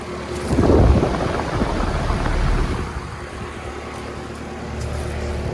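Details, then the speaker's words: Outdoor AC condenser, either a 2003 2.5-ton Carrier 38CKC or a 2006 1.5-ton Comfortmaker. A thump as it kicks on, then a low steady hum with the fan running evenly. It starts and runs normally, quiet and sounding good. "That sound sounds good. Quiet. Yeah, that sounds really good."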